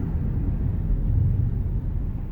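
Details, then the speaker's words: 2007 Chrysler Town & Country LX van, 330,000 miles, hard braking on the road: only low road rumble, no squeal, grind or scrape; brakes sound normal. "grinding no squeaking no unusual brake noise so of course this is not a brand new van but it runs and drives nicely down the highway"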